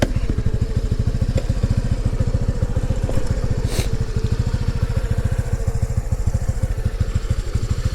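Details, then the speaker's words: New Honda NAVI carbureted bike, 29 miles, below-freezing morning after about a one-mile ride; single-cylinder putter at low, slightly uneven idle that keeps trying to die; owner suspects carburetor issue, not confirmed. "it's thinking about idling it's also thinking about dying"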